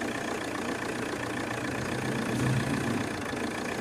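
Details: Chevrolet Cruze diesel just restarted after a wire test: dull, uneven idle clatter with a surge midway, rpm rising and falling, rail pressure varying widely, voltage not correct; suspected fault, not yet confirmed.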